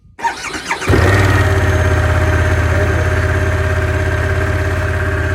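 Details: 2022 Harley-Davidson Pan America at 30 °F, battery reading 12 volts, with jump box attached: short crank, then catches into a steady, slightly lumpy idle at about three pulses a second; cold-weather hard start throwing codes, starter gear bulletin pending.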